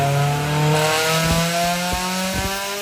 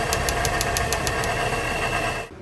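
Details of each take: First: Honda S2000 with brand-new OEM F20 short block and new cylinder head, first start after rebuild following a seized engine: revs climb briefly then settle into a steady even idle. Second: Honda S2000 with freshly installed new OEM F20 short block and new head, at idle: light even ticking about six times a second; aluminum shavings found.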